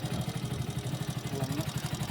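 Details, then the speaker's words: Hero HF Deluxe BS6 motorcycle at idle: crisp, regular clatter every turn over a low putter from loose tappets, common on BS6 bikes and said to hurt mileage; fixed by loosening the tappet nut and adjusting the tappets. "ये जो आवाज़ आ रही है वो टेपिट की है, तो इसके जो टेपिट"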